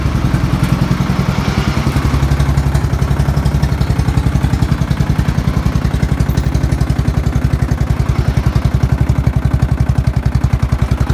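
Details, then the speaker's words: Old Murray with flathead engine, first start in a long time, needing a rebuild: loud rough idle with a fast steady clatter of about three to four knocks a second; engine knock, cause unknown, owner wonders if flathead trait. "Knocking pretty bad though. Sounds bad to me. Maybe it's just a flathead thing."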